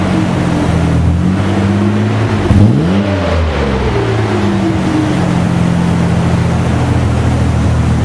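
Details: Mazda/Ford Ranger project truck with newly fitted street-legal exhaust (one hanger so far, power steering pump swapped): deep steady rumble, a quick throttle blip and smooth return to idle, no rattles or leaks. Normal exhaust note.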